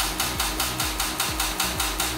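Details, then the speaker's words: Salvage wrecked 2011 Corvette Grand Sport C6 (LS3 V8) on jumper cables and a starter box: rapid, even metallic clicking about five times a second with no cranking. The starter can't turn the engine on a weak battery supply. "going to have to go get the jump box and see if that's going to do it because this is seems like it's not enough juice for [Music] it"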